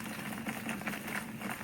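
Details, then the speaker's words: Newly built pulley-driven rock tumbler with variable speed control, running with barrel fitted at about 38–40 RPM; only a soft, even rolling patter of stones, no knocks or squeals, very quiet unlike the old gear-driven one: normal running. "About here, nothing. Nothing from this at all. Put the barrel on, you hear the barrel noise, and that's about it."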